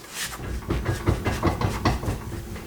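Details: BMW E46 M3 on jack stands, emergency brake on: several soft, dull clunks about two a second as the rear wheels are twisted by hand, suggesting slack in the rear driveline; owner wonders about wheel bearing or guibo, cause unfound.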